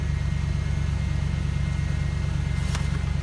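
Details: Freshly LS-swapped 1998 Jeep Wrangler TJ with a 5.3 LM7 V8 from a 2003 Chevy Tahoe, first start after fuel pump, wiring and throttle cable fixes; throttle blips give an even low rumble with a steady pulse, clean and smooth with no knocks or misses. Normal throttle response.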